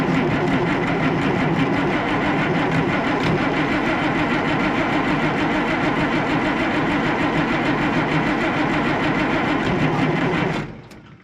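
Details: Oliver 1800 tractor diesel with its Stanadyne (Roosa-Master) injection pump just repaired and reinstalled, injectors dripping, lines being bled: steady rhythmic cranking about three compressions a second for ten seconds without firing; crank no start from air still in fuel system.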